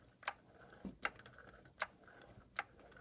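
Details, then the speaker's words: RC car ball differential, good reference diff, spun with wheels: only soft even clicks from the drive coupling a little over once per second, no grinding; the diff sounds smooth. "don't hear anything but the drive coupling that's it"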